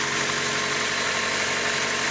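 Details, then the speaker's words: 2001 Opel Astra G, Z12XE 1.2 petrol, warming up after EGR valve cleaning and coolant top-up: a smooth, even idle with steady hum, no knocks, misses or hunting; engine running normally. "But the engine sounds really good for now. I will let them warm up a little bit just to make sure it all the system airated because I have put some coolant over"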